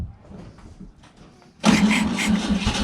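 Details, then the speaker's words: 1963 VW Beetle, 6-volt system, after installing a hard start relay to fix unreliable starting, dark sediment-laden fuel in tank; faint clicks then engine catches at once and runs evenly, starting cleanly. "so let's just give it a turn see if it goes okay so definitely a success with"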